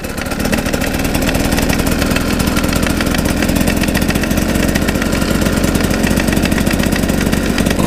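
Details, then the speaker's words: GasGas two-stroke dirt bike pulling in first gear: rough beat with hard repetitive tapping; a screw from the exhaust valve opening mechanism fell into the bottom end and was heard being crushed, oil drain found screw fragments; gearbox first-gear pinion damage suspected, second gear quiet. "c'est juste en première ça tape ça fait papa voilà alors je sais pas si vous allez l'entendre quand je vais parler"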